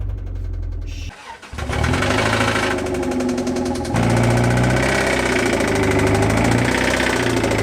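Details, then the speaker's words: Toyota MR2 Spyder 1ZZ engine, first start after over two months sitting: cranks, catches and settles into a rough idle with hard regular knocking under the engine note; engine blown, being removed. "it's been over two months since this thing was last started and it's gonna sound really bad when it starts"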